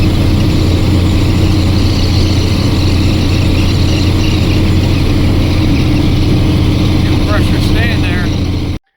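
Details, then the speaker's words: 2002 International 8100 with ISM Cummins diesel climbing a hill, pedal to the floor: heavy drone stays deep and flat, never building, lacking power under load; cause not confirmed. "I'm starting to climb a hill here. I don't have enough power to the floor."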